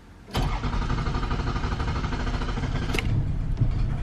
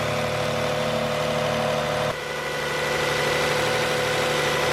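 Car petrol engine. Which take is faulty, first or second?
first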